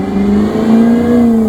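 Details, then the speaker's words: Maserati GranTurismo: loud, steady whine rising smoothly in pitch as the engine revs under acceleration; owner suspects the belt or the alternator (leaning alternator, though there are no battery issues); source unconfirmed. "but this third thing very well could be an absolute bankruptcy claim for me there is a pretty loud whine whenever I accelerate"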